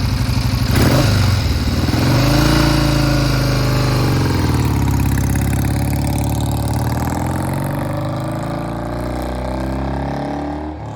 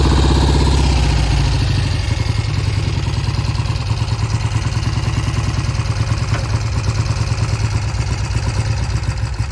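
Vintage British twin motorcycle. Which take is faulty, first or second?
second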